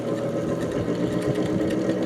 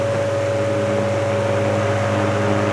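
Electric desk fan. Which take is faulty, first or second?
first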